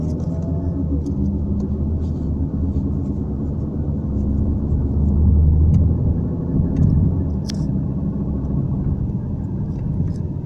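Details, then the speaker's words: Range Rover Evoque while driving: low steady drone under road rumble, caused by wear inside the differential; a molybdenum-based additive is applied to reduce the noise. "esse ruído na realidade é o efeito de desgaste que está ocorrendo no próprio diferencial"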